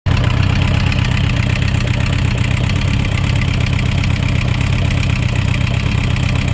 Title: Suzuki Rf900 Engine Knocking Sound Issues